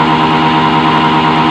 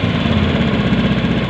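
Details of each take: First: Honda Beat FI scooter that dies when hot: held at sustained high revs about four seconds, then abruptly stalls and winds down, MIL blinking code 52 (CKP sensor); fuel pump reportedly already replaced. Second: Honda Beat FI ESP scooter after history reset and TP setting, idle screw being adjusted: starts high, then drops to a steady, even low putter with no misses or knocks; normal idle.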